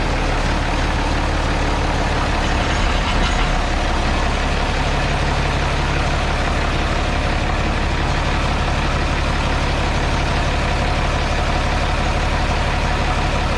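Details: JD 4240 tractor diesel idling steadily after water pump replacement, at first start checking for leaks at the new pump seal and weep hole; deep even chug with no knocks or misses, running normally.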